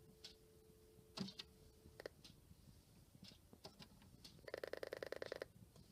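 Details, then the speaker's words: Rotary-dial phone on a PBX after repair, using the pulse setting: dial tone drops out, then a crisp, evenly spaced run of about ten clicks dials 101 and the call goes through; pulse dialing works normally. "see it's sending the pulses again and we successfully dial that phone"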